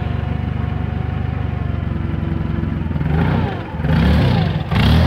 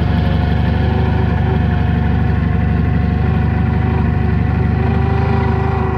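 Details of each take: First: Toyota LPG forklift idling unevenly, surging and dipping: mixture too rich from the gas regulator knob opened too far; fixed by closing the knob until the engine runs steady. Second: Toyota forklift gas engine after closing the gas regulator adjustment knob a little to cure rough idle; idles low and even with a smooth, unbroken rumble and no stumbling; normal idle.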